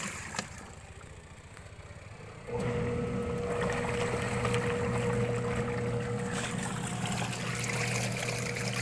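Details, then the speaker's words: 6.5 kg Winner washing machine, spin dryer running: after a quiet start the spinner kicks in with a steady hum and even whir, running strong and smooth with no scraping or knocking. "kita ang lakas niyang umikat. Yun yung dryer, okay dyan."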